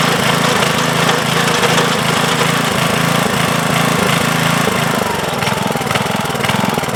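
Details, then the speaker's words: 1992 MTD rear-tine rototiller, 5 hp Briggs & Stratton, after replacing failed tine control cable, tines released: single-cylinder chugs evenly at steady idle, settling slightly at the end; running normally. "[Applause] beautiful excellent so we're back in business I can put this cover back on"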